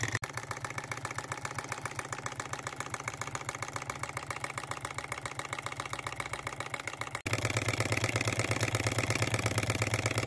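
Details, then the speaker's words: Miniature flame-fired engine after its first repair on a new lathe, burner set, running at preferred speed and then reversed: rapid even firing beat at one speed, stepping up briefly near the end. Smooth, normal running. "we'll try reversing it very very nice now I'm impressed with this beautiful smooth sound I'm impressed listen to that nice real nice"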